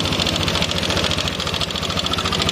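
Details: First-generation Yamaha Nmax scooter idling with a fast, dry metallic rattle over the beat from a worn intake rocker arm; stays rough from idle up to 4,000–5,000 rpm, smoother above 5,000 rpm.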